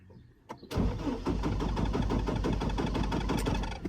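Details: Chevy Colorado cranking with no start from Passlock anti-theft lockout, before the free fix: starter spins the engine at about six pulses a second for three seconds but it never fires.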